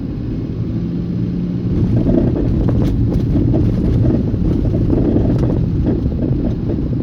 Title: Bermuda Drive. Berkeley Road. clunking noise when driving